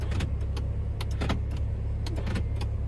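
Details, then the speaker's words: Mini R50/R52/R53 after body control module (BC1) swap: short bursts of sharp mechanical clunks as door lock actuators snap over, cycling cleanly on each button press; central locking working normally, key may need recoding. "so the central locking is actually operating it just needs um maybe needs uh recoding the key"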